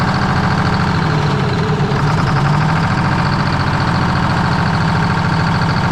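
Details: 1973 Freightliner cabover diesel, restarted on 24 volts after valve covers refitted: a low, steady idle with a slightly uneven beat and no knocking. Runs but rough idle; oil leak or water suspected.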